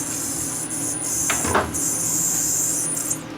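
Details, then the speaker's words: Sony EVS3000 Hi8 home deck, shipped in with unknown history and loose cover screws suggesting earlier work, at power-up: a shrill, steady, high-pitched squeal from the switching power supply, with a fishy smell suggesting failing capacitors; the power supply needs pulling and servicing. "you hear that noise we got uh power supply problem on this so squeezing like crazy so we gotta pull the power supply and go through that first"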